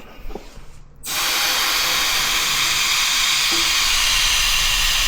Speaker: But, yeah, it's about time I fix this because this is annoying. You can hear the hissing on half my videos and stuff.